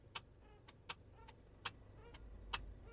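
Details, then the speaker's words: Honda CR-V parked, microphone near the glove compartment: single sharp click with each brake pedal press, only in park, not in neutral; owner suspects an electronic relay, cause not confirmed. "when I press on the brake pedal you hear a clicking relay that's all I could think of electronic relay saying something to the break"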